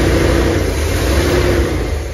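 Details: 454 V8 in a 35-year-old motorhome, first start with the new exhaust: deep smooth note swelling and easing under a light rev, even and quiet, no knocks or ticks; temperature looking good, timing may need setting; normal rev.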